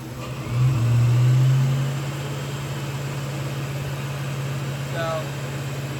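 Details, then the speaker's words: Saleen just after Tork Tech inlet upgrade install, warming up, AFR normal: deep steady engine note flares briefly then settles at a fast high idle; owner attributes it to the idle air control (IAC) set way too high. "clearly just uh the ise being set up way too high but man listen to this thing"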